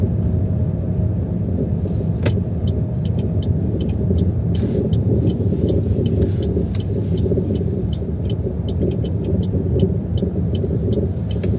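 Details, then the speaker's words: Chevrolet Aveo T300 driving over rough surfaces: heavy road rumble with faint irregular rattling knocks from the front that stop when braking; front brake caliper with pads moving. "вот этого стучит если присмотреться вот видите суппорт гуляет вот эта есть этот стук или вот эти вот болты направляющие менять или всю конструкцию в целом не знаю"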